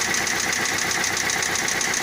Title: МК 1.6 стук мотора.